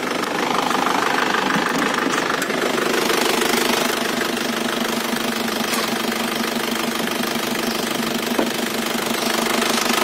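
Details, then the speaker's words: Isuzu Panther New Royal 2000 diesel, 189,000 km, engine recently rebuilt: crisp, even diesel clatter at idle with no stray knocks or misses; sounds dry and crisp, healthy. "Nah, ini ya suaranya masih kering-renyah ya."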